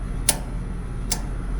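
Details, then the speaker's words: New R-410A heat pump with defrost board bypassed for straight cooling, calling for cool with contactor in: two crisp clicks over low steady hum as reversing valve shifts cleanly; normal reversing valve switching. "I don't know if you can hear that clicking, but it's sounding pretty good."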